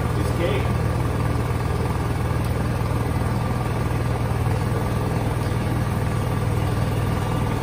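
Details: Honda generator with a low battery after a jump start from a TOPDON V1200 jump pack: steady low engine drone with an even beat of about four per second and nothing uneven; running smoothly.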